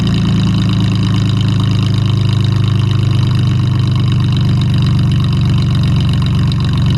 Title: Mustang V6 with duals and an exhaust leak. Cold start. 240,000 miles.